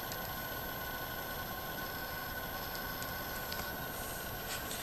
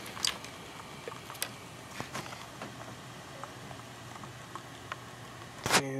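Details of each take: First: Sans Digital MobileRAID MR2UT+B enclosure fan just after startup: small fan whirs with a rough, scratchy grind and faint steady whine that gradually smooths out. Fan grinding at startup. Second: Sans Digital MobileRAID MR2UT+B enclosure running with its fan disconnected and top off: a quiet, steady low hum with faint light ticks from two hard drives spinning normally.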